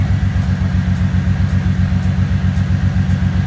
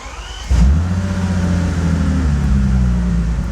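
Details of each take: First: 2005 Bentley Continental GT engine restarted after replacing two broken 10A fuses. Deep idle with a steady lumpy pulse, about four beats a second, from a misfire. A cylinder 3 injection circuit fault code remains. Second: 2005 Bentley Continental GT with long-running electrical faults: after a diagnostic fix, codes were cleared and the engine started. It catches right away into a deep, smooth idle with no misfires or stumbles, all cylinders firing evenly.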